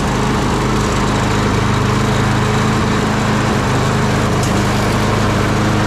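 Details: Craftsman push mower after replacing the carburetor with a new Briggs & Stratton 650 series unit, primed and pull-started outside: loud, steady, rapid single-cylinder beat without stumbling or hunting; running normally.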